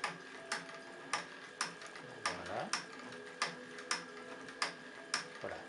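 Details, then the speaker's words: Live-steam model locomotive during pre-firing checks, idle lowered by adjusting the blower valve: crisp, evenly spaced exhaust ticks about a hundred a minute in a quiet room; a steady slow idle, running as it should. "et là je dois améliorer sensiblement le ralenti de la machine voilà la machine commence à ralentir progressivement"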